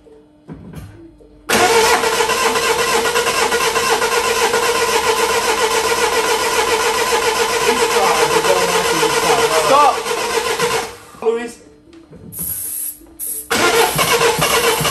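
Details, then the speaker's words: 2008 Mini Clubman R55 1.6 diesel (W40D16), parked 2 years, cranking with starting spray: steady starter churning at three to four beats a second for nine seconds, never firing, with no fuel pressure; failed high-pressure fuel pump. "no pressure still got no fuel no fuel so if you've got no pressure fuel pump it's got to be the pump fuel pump"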